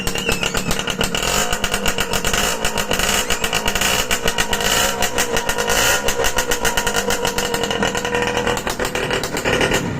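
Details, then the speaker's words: Restored Suzuki X4 motorcycle, freshly reassembled with harness fitted: steady even firing with loud raspy exhaust from stainless silencer, no knocks or rattles; engine runs normally, noise is the exhaust. "Okay na, medyo maingay mga kamikaniko kasi naka-stainless na silencer."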